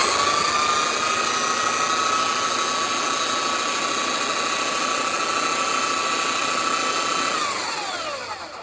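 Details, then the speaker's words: Titan TTB290SDR belt sander after replacing the carbon brushes, belt fitted: steady high motor whine with even belt hiss, not grainy, no blue smoke, winding down smoothly; running healthy. "Sweet, we've got a belt. Doesn't sound bad. Doesn't sound grainy or anything like that."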